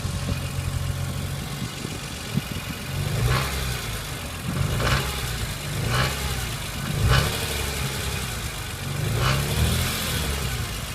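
Engine held at a rising and falling rev, with a sharp metallic rattle flaring about once a second on each rev swell.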